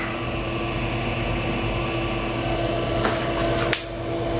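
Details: Amiga 2000 with Fusion Forty 68040 accelerator, first power-on after many years unused. Steady fan hum with a faint even whine and a few brief drive clicks; it powers up and runs normally.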